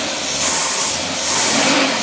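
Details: Cadillac engine with Carter AFB carburetor being tested, idle adjusted: even note with hissy top and gentle slow swells, no misfire or stumble; normal clean idle.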